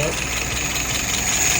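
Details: Restored, adjusted carburetor tested on a 48 engine: catches at once, settles into steady, even idle about 660 rpm, fuel pressure 2.75, vacuum 23, at spec, no stumbling; no nozzle dripping with float set correctly.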